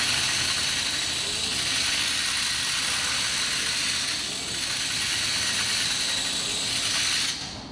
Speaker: So you can hear that hellacious noise that's coming from that motor. I don't know what's going on inside the motor, but it's locked up